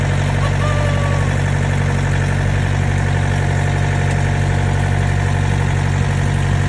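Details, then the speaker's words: Trailer reefer unit diesel after inspection late at night (only slightly dirty, cause unclear), hoped to stay running overnight; steady even idle with low throb, no misses or stumbles; normal idle. "It is what it is. It's running right now. Hopefully it stays running throughout the night, and we're gonna go home."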